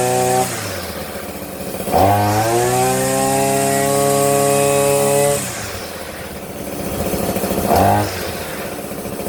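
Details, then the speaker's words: Hyper Tough 2-cycle 18-inch straight-shaft string trimmer, new, after a head jam freed by hand-spinning the head (no visible debris): it revs up cleanly, holds a steady high buzz, then drops to idle. Normal running. "Okay, it started working again. Let me go finish the lady's yard right quick."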